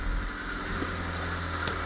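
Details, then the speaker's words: 2014 Ford Fiesta 1.6 after timing belt, tensioner, idler pulley and water pump replacement, first start: low even idle hum, faint steady tone, no belt squeak or ticking; smooth idle. "And engine has very, very smooth idle. We're good."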